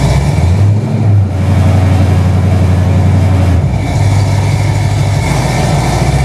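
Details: Refreshed Chevy 350 V8 with a TH350 transmission, first start after reinstalling the distributor, fan temporarily mounted: a deep, steady V8 rumble with an even, smooth idle, no knocks or misses; normal idle.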